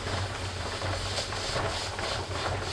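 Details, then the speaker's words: Presto pressure canner processing raw-pack carrots, dial gauge approaching 11 lb, weight about to start rocking. A steady, soft steam hiss over a low stove hum with no sputter; pressure is building normally. "oh can you hear it hissing that jiggle is going to happen very soon"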